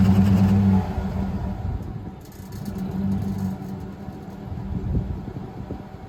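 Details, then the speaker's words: 2007 classic Silverado V8 with MSD 2-step set at 1500 rpm: low choppy rumble bouncing off the limiter with a loose exhaust tip rattling loudly over the note; tip was removed. "okay so upon further inspection I had to take the exhaust tip off because it was so loud you couldn't even hear the exhaust over the rattling sound it was making"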